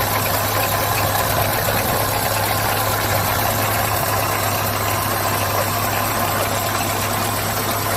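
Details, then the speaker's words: Chevrolet GM engine at steady idle with a hard metallic clatter. The engine has no oil pressure, the oil pump pickup was suspected blocked, and broken pieces were found in the sump. Bottom-end knock from loss of oil pressure. "isso aqui é pedaço por isso que tá aquela barulheira toda entendeu Por isso que tá aquela barulheira toda"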